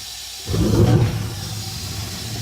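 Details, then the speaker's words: 1960 gas furnace after relighting the pilot, which had gone out, and confirming the thermocouple works: soft whump as the main burner lights, then steady, even roar with no flutter; burner firing properly. "And the burner comes on. And we have heat."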